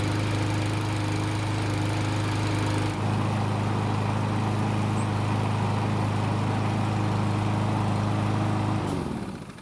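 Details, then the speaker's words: Cub Cadet mower, small single-cylinder engine, after carb cleaning, air filter refit and fresh gasoline: holds one even steady speed without hunting or surging, then shuts down cleanly; dirt in the gasoline was the cause of earlier revving up and down. "so it started and ran just like it's supposed to which means the dirt in the gasoline was definitely our problem"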